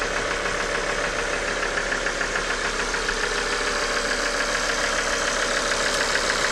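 A fast, fairly regular metallic clatter at idle, roughly three to four taps a second over the engine hum, a knocking top end. Cause suspected, not confirmed.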